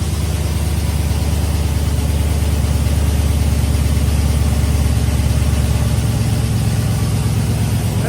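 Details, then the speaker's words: Chevy Tahoe V8 after a stock rebuild with a BTR V2 stage 2 cam, LS7 lifters and long tube headers, on a Michigan Motorsports base tune: a steady, deep idle with an even lumpy beat around three pulses a second, no knocks or misses; healthy. "All right, so we got the base tune from Michigan Motorsports loaded up in, and it's pretty dang good."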